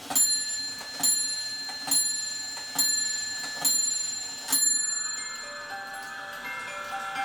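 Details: E. Schmeckenbecher Nuremberg church clock after repair with 3D-printed parts: bright bell-like strikes about once a second, then a tinkling tune with no grinding or hesitation; the movement and music box run smoothly.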